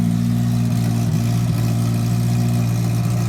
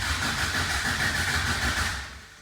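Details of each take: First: 1980 Toyota pickup rat rod, 20R four-cylinder on its first start, with an open shorty header and no muffler yet: a loud, deep, even bark that revs and settles cleanly with no knocks or misses; healthy though noisy. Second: 1980 Toyota pickup rat rod, 20R carbureted engine, first start: starter cranks evenly but engine never catches; no fuel yet in the fuel filter; crank, no start from no fuel.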